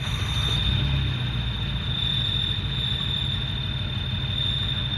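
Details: Long-sitting Renault LeCar (Renault 5), just restarted after new spark plugs, choke on: steady high-pitched screech over a low, even idle. The accessory belts are squealing.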